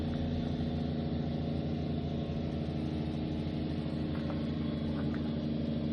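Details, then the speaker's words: Water pumps in a Citroen Dispatch van's rear cleaning system, pushing air out of the hose reels: steady droning hum pulsing about 2.5 times a second, no strain or cutting out; they keep pumping without tripping the pressure switch, so no blockage. "So the pressure switch would kick in if there was a blockage or something, but obviously they're still pumping, so there can't be a blockage."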